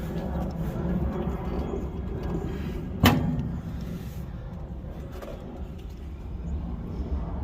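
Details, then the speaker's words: Big-block V8 Sweptline truck after a cam swap and new intake gaskets, open exhaust not hooked up: deep, even rumble at steady idle with one door thump midway, no misses, knocks or ticks; normal idle. "see what this thing sounds like with open exhaust, because I also don't have that hooked up yet. Sounds good."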